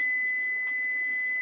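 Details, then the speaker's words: Frigidaire double oven model PLEB27T9FCC: steady pure high tone near 2 kHz held over a second in a quiet room, indicating the oven is preheated and ready at set temperature; normal preheat-ready beep. "that's indicating that the oven is preheated and ready to go at that temperature"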